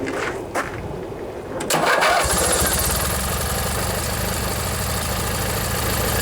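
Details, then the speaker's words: Briggs & Stratton 16 hp flathead opposed twin on an MTD-built Montgomery Ward riding mower, unstarted for one to two years, after replacing a worn-out starter motor: short cranking bursts, a catch within about two seconds, then an even run with a little smoke and water from the muffler. Normal start. "a little bit of smoke not running too bad probably been two years since it's been started ah maybe a year"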